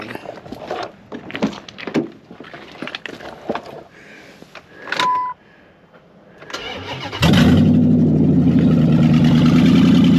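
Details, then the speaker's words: Charger auction car fired with a jumper pack, V8 barking to life and settling into a loud, raw, lumpy idle with no muffling, running open stainless headers; loud exhaust from open headers. "It is running open headers, so I put a set of stainless headers on it."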